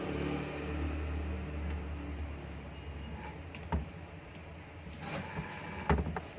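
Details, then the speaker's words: Kitchen exhaust fan motor test run after both 6201 bearings were replaced with new ungreased ones, temporarily held by two screws. Steady, even low hum with light clicks and no grinding; it runs smoothly in both directions and the noise is gone. "तो फ्रेंड्स ये देखिए इसकी नॉइस बिल्कुल कम हो चुकी है, अभी कोई प्रॉब्लम नहीं है इसमें। दोनों साइड में मोटर चल रही है, बिल्कुल ओके है।"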